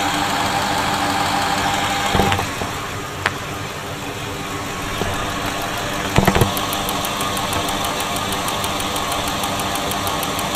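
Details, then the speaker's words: 2000 Ford F-250 Super Duty 5.4 L (330 CI), injectors with 260,000 miles, intermittent rough idle and miss: fast, even light ticking at idle, all injectors sounding alike; normal injector operation, one suspected clogged. "Okay, so all of the injectors do sound similar. You can hear a distinct ticking."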